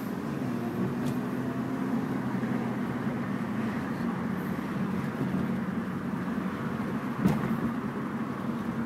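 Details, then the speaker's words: Mitsubishi Galant VR4 test drive with window down to hear outside: steady engine drone under road and wind rush, no knocks, bangs, creaks or squeaks; normal driving. "Got the window down so you can hear the outside, so you can hear there's nothing wrong."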